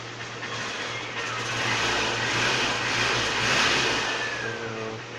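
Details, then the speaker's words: Motorcycle with temporarily wired kill switch via relay, being tested: steady low engine beat that swells slightly with a little throttle and settles back, even, no knocks; runs normally. "गाड़ी अभी काम कर रही है अभी हम देखें थोड़ा एक्सलेटर इसका बढ़ा देते हैं"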